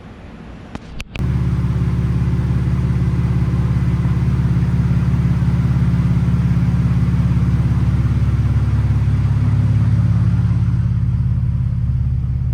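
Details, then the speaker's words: VW VR6 12V, engine built 9 years ago, reassembled after teardown (missing piston oil nozzle, cams and lifters done): steady idle with faint, even knock about 2.5 per second; owner suspects piston slap, unconfirmed. "so we put everything back together just this last time and uh I have what sounds like piston slap"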